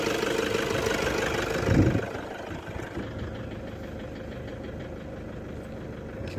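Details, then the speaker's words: Toyota Revo D4D 4-cylinder direct-injection diesel with a starting problem: a rev, then an uneven idle with a hard clatter about three a second. Check light came on; it won't take revs. Knocking when revved. "Race दिया है अभी जो है ना इसके sound में आ गया, थोड़ा सा कड़क आ गया, देखो कड़ कड़ कर भैया।"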